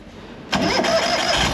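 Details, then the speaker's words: Ural sidecar motorcycle after fully dismantling and cleaning a filthy, rusty starter with two of four brushes stuck (was only clicking): starter spins freely and engine catches at once, settling into steady run. "It starts right up too."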